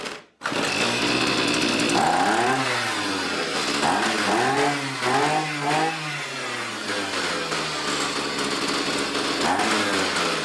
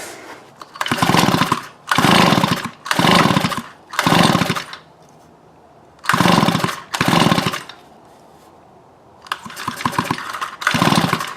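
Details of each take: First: Neighbor's two-stroke weedeater that wouldn't fire up, reassembled, choke on and power on: catches right away, buzzes with a few uneven throttle blips, then holds a steady high run; starts and runs normally. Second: Neighbor's weedeater that wouldn't fire up, pull-cord spark test with plug grounded to case: repeated cord rasps about once a second, no firing and no spark; piston wet so fuel reaching it; kill switch was left on, sparks returned once off.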